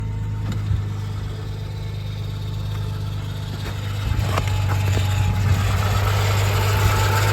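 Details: Audi A6 C4 V6 idling with a steady low drone and faint rhythmic tapping, even at idle; the noise persists with the belt off (ohne KRR). Unidentified engine noise, cause suspected, not confirmed.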